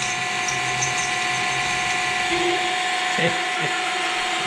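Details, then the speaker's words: Drilling hardened steel on a milling machine while building a moped dry clutch: steady high-pitched screech with gritty chatter as the bit grinds in; harsh, strained cut that blunted the single-use bit tip. "No tämä oli hyvä poro sehän pysty siihen aika pahaa ääntä piti"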